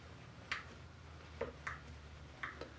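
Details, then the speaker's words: Homemade high-pressure check valve on a grease-gun hydraulic pump (about 1,700 PSI). Faint metallic ticks about every half second with each pump stroke as the check ball unseats and reseats but doesn't hold pressure: check ball not sealing. "you can hear the check ball unseating and seating again it unseats you don't hear anything then when it clap Rel back you can actually hear it tinking okay son of a deadly not working obviously the check valve is not seating"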